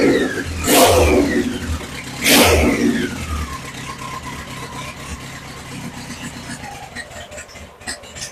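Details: BMW K100 motorcycle on a stand after cleaning and refitting the fuel pump fuse, pump priming, choke on: two sharp revs dropping cleanly back to steady idle without stumbling. Now runs normally.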